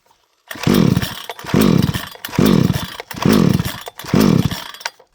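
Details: Vevor chainsaw that won't start: five hard pull-cord rips, each a rising whirr that fades, and the engine never catches.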